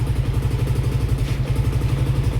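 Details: Yamaha Aerox 62mm scooter after a lower-end noise repair with a new crankshaft, battery at 12.22V: even, steady, quiet idle with no bottom-end knock. The exhaust header leaks, so it needs slight throttle.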